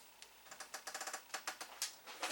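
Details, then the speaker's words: Atari SF354 Atari ST floppy drive, bought not working with a disintegrated belt, after belt replacement: quick irregular light clicks with no motor hum as the drive powers up and the gear moves. Cause of trouble unconfirmed. "It is working though. It is powering up. You do see the power, and it is making noise. So it sounds like the gear is moving."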